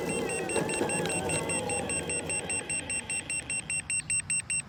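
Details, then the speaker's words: Boosted Board V2 electric skateboard at about 23–24 mph after installing lights: motor whine, then the remote beeps rapidly (about 2.5 per second) as power cuts to eco mode; motor cables and motors checked solid. Remote warning beeping. "when we get about 2 23 24 miles per hour the remote starts beeping like crazy and we lose power it drops down to eco mode"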